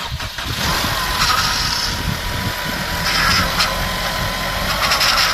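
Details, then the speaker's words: Mercedes-Benz C250 W204 first start after timing chain replacement: engine catches first go and idles with a steady high whine from the power steering pump, whose reservoir was empty; low fluid, to be topped up. "Gonna top up the power steering again because that was empty, so we're gonna top it up again. That's why you hear that noise."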